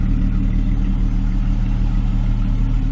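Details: 1998 Jeep Cherokee XJ, after replacing a cheap header that was cracking and had a blown gasket: a steady, even idle with a smooth low exhaust note and no ticking or puffing; the exhaust leak is gone and the exhaust exits at the rear.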